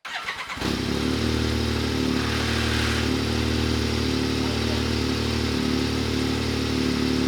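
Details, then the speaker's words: Yamaha YXZ starting after an oil change: the engine catches and settles into a fast idle with a rough, gritty rattle. A brief grinding lasts a couple of seconds, which the owner says forums describe as the noise these make on start-up after an oil change. Cause not confirmed. "now I don't know if y'all heard that but like the real weird grinding noise for just a couple seconds that's what that weird noise is that everybody talks about when they change the oil on those things"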